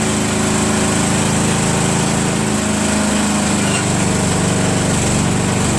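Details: Craftsman Trac Plus 23" dual-stage snowblower, 5HP Tecumseh single-cylinder, with a leaking fuel shutoff valve: a steady, even, loud buzz with no sputter or misses, a healthy run.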